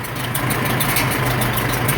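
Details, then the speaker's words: 1947 Farmall M tractor, first start after engine rebuild: low steady idle with airy hiss on each exhaust stroke; source unknown, muffler known to leak. "I don't know if you guys can hear it but it's got somewhat of a hiss coming through the exhaust seems like on every exhaust stroke and I'm not sure what that is"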